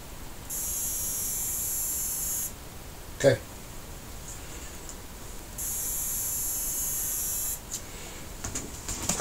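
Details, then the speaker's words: Sony XBR-65X850E TV that won't power on, heard when plugged in: thin high-pitched buzz for about two seconds, stops, then returns; traced to the power supply board with shorted diodes. "so um now with the buzzing noises like this I suspect there is a problem with the power supply"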